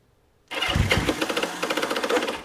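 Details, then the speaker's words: 1976 Honda CB550 four-cylinder, sat for years, choke on: starter engages with a rough, uneven churning that stutters without catching; poor cranking, owner suspects a slipping starter clutch needing replacement. "Need a starter clutch. Let me try kicking it."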